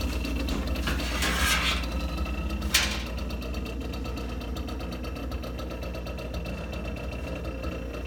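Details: GE refrigerator compressor running with a loud low hum and fast mechanical rattle, about three to four knocks a second, while the unit still cools well.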